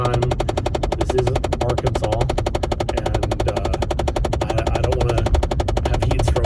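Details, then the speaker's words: Car heater/AC switched between cool and warm while driving: fast, evenly spaced tapping runs on without letup over road noise, starting up and subsiding at times; sounds like a blend door actuator skipping teeth. "on the phone and it starts up we're like hold on it's happening and then we have to wait until the tapping subsides and then we talk again"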